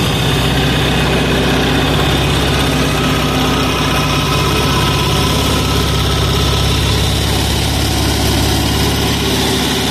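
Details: 186FA single-cylinder diesel running on Road Tech synthetic blend 10W-30 motor oil as fuel, throttle about half, possibly with a little diesel left in the line. A steady, even clatter at constant idle with no misses or surging; it runs smoothly.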